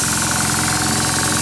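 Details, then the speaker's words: Oilless diaphragm compressor/sprayer without a pressure regulator or shutoff: fast, steady chattering pulse over a constant airy hiss as it keeps running and blows off excess air once pressure is reached; normal running with air venting, fairly quiet. "What it does is once it gets up to whatever the pressure is, it just goes blowing out of here and stays running."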